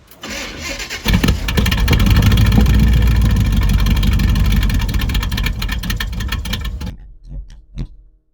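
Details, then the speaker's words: Chevelle V8 that sat for years, with fresh fuel and plugs over old gas in the tank, a borrowed battery and water coolant. It catches, runs rough and uneven for a few seconds, then sags and dies. Old gas is suspected. Starts then stumbles and stalls. "Started and then it stumbled. Come on. Yeah, we're getting close."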